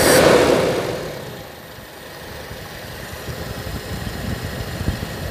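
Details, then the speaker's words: Toyota Kijang with carburetor, in neutral, during carburetor and ignition timing service: a slightly long start after extra accelerator-pump spraying, then a quick blip and a steady, even, smooth idle. Idle screw still to be adjusted. Normal idle. "Karena tak semprot-semprot dari pompa akselerator kita pompa jadi agak kebanyakan mencari untuk yang ganjel tadi. Nah ini sudah halus."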